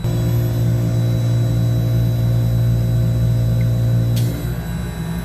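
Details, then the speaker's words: Copeland digital scroll compressor controller module in alarm: a multimeter continuity test on the alarm contacts (normally open, closed in alarm) gives a steady unbroken tone for about four seconds, then cuts off, confirming the contacts have closed. "so there you have it normally open and an alarm is going to be closed you can hear it you can see it real"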